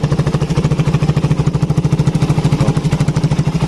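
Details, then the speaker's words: Suzuki Satria FU 150 after valve clearance adjustment and timing-mark (TOP) setting, exhaust outlet covered: even, steady low thumping idle with no knocks or misses; engine smooth, normal idle. "Lanjut kita coba nyalakan. Lembut suaranya. Knalpot tutup knalpot."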